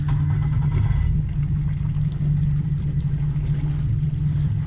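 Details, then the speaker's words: 2015 Yamaha F40LA 40 hp four-stroke outboard idling in neutral after fix: steady even low hum, no alarm beep; beeping was caused by water in the fuel filter cup triggering the water sensor, fixed by new filter and fuel flush. "Yeah, look at that, no beeping. So that was the issue, obviously."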